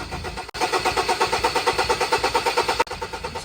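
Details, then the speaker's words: 2018 Ford Everest 2.2 diesel, crank-no-start after the fuel problem was solved: the starter turns the engine over at a steady pulsing rate, about three beats a second, but it never catches despite repeated tries. "kita natin sinubukan naming paandarin dito pero ayaw talagang tumulo yung andar same pa rin makailang Subok nga kaming Start at ayaw talaga"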